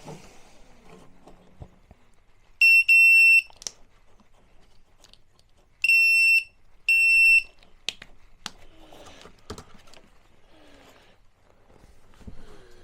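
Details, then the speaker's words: New combined CO/propane detector in a 5th-wheel RV, just hardwired one-for-one (black hot, white) with fuse reinstalled, gives three sharp high-pitched beep bursts on power-up in a quiet room; wired and working. "And there it is. Up and running. That simple."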